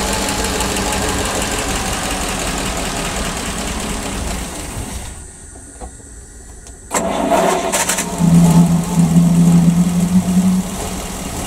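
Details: PAZ-672 bus engine after valve adjustment, with valve covers fitted: catches after a short gap and runs with low steady beat, previous knock gone, no ticking; healthy idle.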